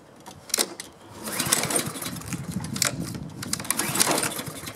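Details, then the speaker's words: Honda-engined self-propelled Husqvarna lawn mower that wouldn't start; fires on first pull, runs briefly then fades and quits; traced to electrical no-spark problem, kill switch grounding the ignition. "oh now it doesn't want to start aha that's strange now I'm going to do a test here I'm going to spray a little starting fluid in there and see if it'll fire up that'll give me a hint what might be wrong"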